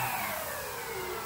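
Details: Horizon Hobby Carbon-Z Cub SS 2.1m electric RC plane, during the throttle direction and safety check on the ground: short whirring run dropping smoothly in pitch as throttle cuts, no rattle; motor spins up cleanly and is healthy.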